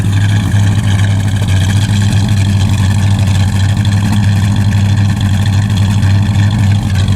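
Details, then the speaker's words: Chevy with an old, long-unused carburetor, started up; rough, lumpy idle with irregular popping; fuel or ignition issue suspected, timing not yet checked. "hear that got some popping and stuff anyway I'll have to uh go through it see what else there but uh starts up and it'll run so I can move it around"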